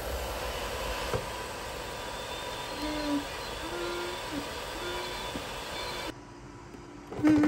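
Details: Dyson Pure Cool Me BP01 fan/purifier running: airflow rush with an intermittent whistle that grows louder at higher speeds and disappears without the filter. Caused by a dirty filter-to-case seal; fixed by cleaning and reseating the gasket.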